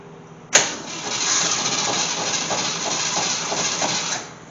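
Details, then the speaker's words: Gremlin that sat over 15 years, with a swapped-in unknown 290 V8 from a 1968 Javelin, points replaced and fuel poured in: catches on the first crank and runs steadily about three seconds before shutting off; normal start and run. "Fire in the hole. Woohoo! We got life."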